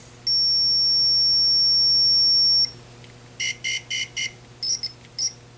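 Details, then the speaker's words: 1980 Atari Missile Command arcade PCB under repair: logic probe on a buffer chip's enable pin gives a steady high beep of about two seconds, then short chirping pulses, showing the enable line is active. "this one is enabled so what is this doing"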